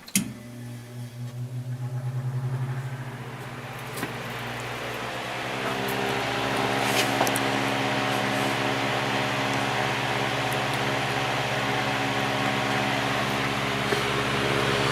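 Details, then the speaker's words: Patton fan, shaded-pole (believed Samsung) 1.2 A motor, steep-pitch blades, started on high: hum comes up quickly then a smooth even whoosh; lots of power, 1.12 A and 89 W. "lots of power 1.12 amp and 89 watts and"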